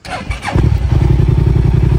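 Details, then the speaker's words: 2008 Yamaha TDM900 twin, 163,128 km, light drop, apparently aftermarket pipes: starter catches and settles quickly into even, deep, steady exhaust rumble with no knocks or misses; normal start and idle. "Starts and runs and idles beautifully. Motor sounds good. Nice deep rumble from the pipes as well."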